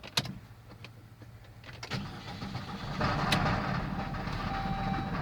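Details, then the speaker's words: Saab 9-3 started cold in the morning: a few clicks, then the engine stumbles to life and climbs unevenly under light throttle, rough and hesitant. It happens every morning, then it runs fine. "Saab is having a problem every time you start it when it's cold in the morning it basically like rough starts almost every time"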